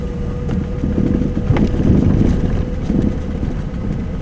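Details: Four-year-old Mazda 6 while driving: irregular dull low thuds over road rumble from the right front suspension; strut bushing and upper ball joint replaced and reaction rod disconnected with no change, mechanics cannot locate the source.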